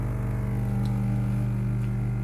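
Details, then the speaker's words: Portable salon sink water pump feeding the water heater: steady, even low hum runs unchanged as it fills the heater reservoir; normal pump operation. "If you hear that noise, that's the pump that's pumping the water to the heater, and it will run like that until the heater reservoir is full."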